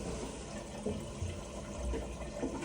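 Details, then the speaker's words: Toilet cistern that kept overflowing, refilling after repair with the case left off so the fill can still be adjusted: a steady hiss and gurgle of water running into the tank, with no hammering or squeal. The refill sounds normal. "so now we're just letting it fill up"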